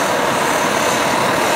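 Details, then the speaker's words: Optimus Hiker+ liquid-fuel stove pumped up and at full blast with blue flame: steady, even hiss-roar with the characteristic Optimus sputter; burner running hot and normally. "The characteristic blue flame, the sputtering of the Optimus stove. So there you go. Stove's running."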